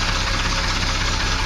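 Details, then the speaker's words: Triumph TR6 six-cylinder idling after valve clearance adjustment; a steady, even low rumble with no obvious valvetrain ticking. It doesn't sound too bad but could be quieter, and an exhaust leak under the car adds noise. Normal idle. "these old Triumph engines are supposed to sound like sewing machines it doesn't sound too bad could be a little quieter"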